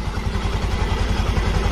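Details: Honda Vario FI scooter after engine rebuild (destroyed piston replaced): smooth even low idle putter, no knock or tapping; exhaust no longer smoking, not noisy, engine normal.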